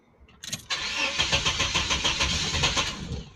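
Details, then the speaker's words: 1989 Chevrolet S10 Blazer whose owner suspects a failed oil pump: the starter churns steadily at about three beats a second for three seconds without the engine catching; cranks but won't start, though it starts afterward. "it's trying to start but I just wanted to run it see it's trying to start"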